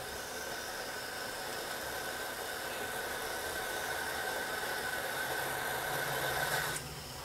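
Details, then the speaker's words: Cypruz pressure cooker (stovetop/induction-capable, 3 safety layers) heating up, pressure indicator pin still sunk: steady rising steam hiss builds about seven seconds then cuts off sharply; normal steam venting as pressure builds, pin then pops up. "baik ini sudah mulai kedengaran bunyi wapnya ya"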